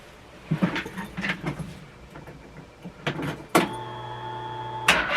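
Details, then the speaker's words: 2014 Polaris Sportsman Ace 330 on a jump, battery around 11.9 V, fuel pump running: scattered clatter then about a second of starter whir with no firing; cranks but won't catch, weak battery suspected, not confirmed. "just not getting enough standing to get it firing so we'll shut you off"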